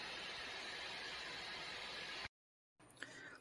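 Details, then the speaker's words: Dell Precision 7530 laptop after repair, fans spooled up under background load: smooth, even airy hiss with no rattle or ticking, steady speed; previously rattling fans fixed by lubrication, not replacement. "right got the computer all booted up got some apps running in the background to get the fans to spool up and as you can hear it sounds nice and smooth just like brand new just like normal"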